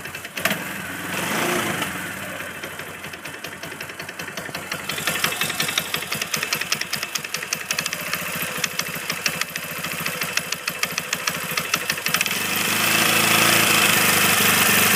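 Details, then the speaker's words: Kawasaki engine at idle: steady rapid ticking knock, roughly three per second, over an uneven idle; owner suspects the clutch, either a worn washer letting it slide on the crankshaft or a bad clutch bearing, unconfirmed. "I've looked up a lot of things and I'm 100% sure it's the clutch. And the way the clutch makes that sound is either by it sliding left and right on the crankshaft, because apparently there's a washer on there that gets worn out over time or something like that, or the clutch bearing is bad."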